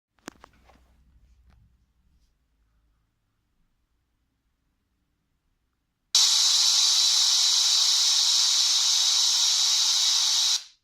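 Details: Surface 3 tablet: steady, very loud high-pitched white-noise hiss, flat with no rhythm until cut off, independent of audio, present with no programs open and despite repeated restarts; cause unknown.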